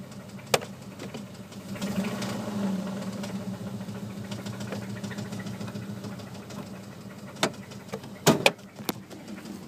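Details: Dodge Durango 4.7 V8 at idle: dull knock tapping through the rumble, sharpening on blips; rod knock on cylinder 2.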